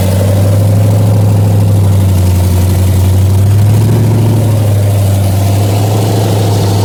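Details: 1981 Toyota Starlet with swapped L76 LS engine, twin turbos and Powerglide, idling after a balancer change and radiator refit while antifreeze is bled; steady, deep, even idle with smooth low rumble and no belt squeal or chirp. Normal idle.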